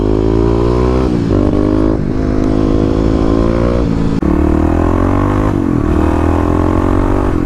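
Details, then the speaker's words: 2018 Kawasaki KLX250 with 351cc big bore, FMF exhaust and EJK fuel controller: revving through the gears, it stumbles and cuts out around 6,000 rpm; the misfire was traced to a fouled spark plug. "So that got me thinking that something has to be wrong with the ignition, and I didn't really think that the coil was bad, but it all went back and it kind of started making sense that I could have a bad spark plug."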